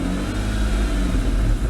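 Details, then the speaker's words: 2002 Dodge Stratus 2.7L, fully warm after about three miles of driving, after replacing the transmission control solenoid and cleaning the pan magnet: even low engine rumble, the earlier loud whine gone; normal transmission operation. "sounds a lot better can't hear that loud whining noise anymore"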